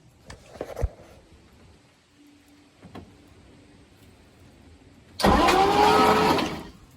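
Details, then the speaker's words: 1967 Chris Craft Roamer yacht, Ford 427 V8 unrun for about 11 years, on a jump box: clicks, then a short starter whirr turning the engine over; engine is free, not seized. "So we got the jump box hooked up. We're gonna see if we can get this motor to spin over at all."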